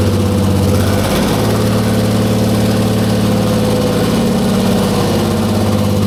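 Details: 1944 Cleveland 3-268A three-cylinder two-stroke diesel, revived after sitting, first successful start after fuel-delivery fix: deep, slow, even idle beat, all three cylinders now firing with no misses; healthy normal idle.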